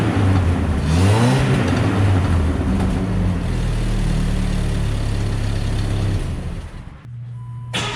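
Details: Truck startup after the muffler replacement, cat already removed; owner thinks it may be overheating. Engine catches, revs and settles into a deep, even drone with no ticking; a normal, leak-free exhaust.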